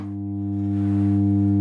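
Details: Valve guitar amplifier at power-on with a blown output valve: steady low mains-pitched buzz with stacked overtones; blown power valve, valves ideally replaced in pairs.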